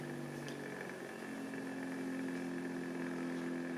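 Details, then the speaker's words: Knockoff Pierburg BMW electric water pump, supply lowered from 12 V to about 9 V, PWM duty cycle turned down: quiet steady hum with faint even pulse, no rattle; running smoothly at reduced, variable speed. "we have variable speed, which is what I was looking for."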